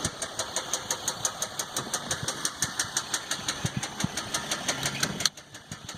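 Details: 2015 Dodge EcoDiesel with 18k miles, before second oil change: steady sharp metallic knock about three times a second at idle; no check engine light, normal gauges and oil pressure, but no power and heavy shaking; cause not found.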